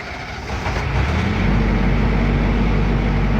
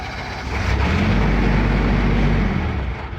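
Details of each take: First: Military generator after repair, started holding prime-and-run past low oil pressure shutdown: catches and settles into steady, even low thrum, no knocks or misses. Normal running. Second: Military diesel generator that needs 20 psi oil pressure to keep running: fires and runs about two seconds, then winds down and dies because the prime/run switch was released too early, tripping the low oil pressure shutdown.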